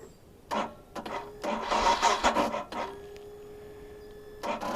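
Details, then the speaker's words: Royal Enfield Himalayan in cold weather, key on, in neutral: several short, sluggish starter bursts that drag and fade without catching; battery too weak to start the bike, and the owner plans to buy a better one. "Yeah, I'll have to just pony up the cash and get a better battery. This sucks."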